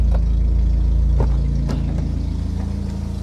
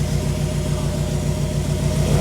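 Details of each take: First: Nissan B14 with rough idle and misfire, injector 2 not firing, after ECU replacement: low steady idle with even beat, no stumble or missing cylinder; idle much better. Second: Nissan B14 four-cylinder with rough idle; customer already replaced injector rail and spark plugs and serviced distributor. Uneven, lumpy idle with stumbling exhaust pulse; cylinder 2 dead, scope shows no signal to injector 2, traced to failed ECU injector driver.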